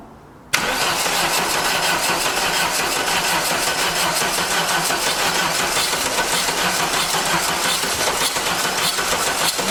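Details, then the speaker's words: 1989 Dodge Daytona from a junkyard, rings freed with transmission fluid, in neutral with premixed gas poured in: the starter turns it over at a steady pace without catching; owner suspects fluid in the cylinders and flooding; crank, no start. "just trying battery's getting weak she's crying she's got a lot of that uh transmission fluid down in the cylinders where i had uh got the rings freed so it's got to burn all that off the top plus we're probably just flooding it real bad"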